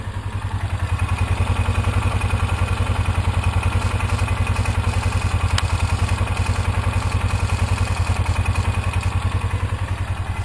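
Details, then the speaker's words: 2003 Polaris Ranger 500 after an oil leak repair with a new gasket and thin RTV on both sides: an even, steady low thumping idle after about 10 minutes of running, with no knocks or misses and no leaking. "Well, it's been idling now for about 10 minutes."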